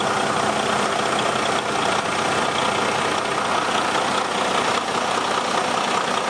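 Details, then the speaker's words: Detroit DD13 diesel truck idling after replacing drive belts, pulleys checked spinning freely; even clatter with no belt squeal or chirp, squeaking fixed. "all right everything looks good no more squeaking that's it was a simple job"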